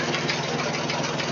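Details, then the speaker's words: 1966 Ford 3000 tractor that leaked gas at the carb and needed half choke, after a Holley carburetor rebuild and clearing water from the sediment bowl: steady, even idle with no misses or knocks while warming up before low-speed screw adjustment; normal idle. "that sounds really good so I think I'll let it run and warm up a little and then I'll adjust this low speed screw"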